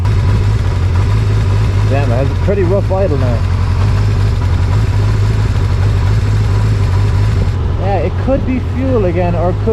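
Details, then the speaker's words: Kawasaki GPX 600R after carb rebuild, restarted after possibly running out of fuel: low, uneven, lumpy four-cylinder idle; rough idle, owner suspects a spark plug, not confirmed. "Sprout plug it's kind of hard to tell okay it still has that idling thing I'm pretty sure that's a spark plug"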